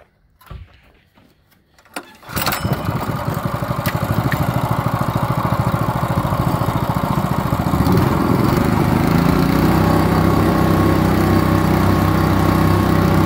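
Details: Kohler SH265 6.5 HP single-cylinder engine, bought used for a pressure washer repower, first start; a few rough tries, catches at two seconds, then a strong even run with no misses. WD-40 burning off the exhaust; exhaust to be reworked.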